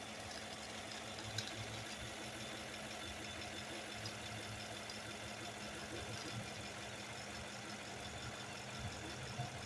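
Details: Chevy Silverado 1500 LT V8 idling with code P0300 misfire and rich/lean fuel trim issues on bank two: faintly lumpy, uneven beat under a steady hum; a misfire whose cause is still unknown.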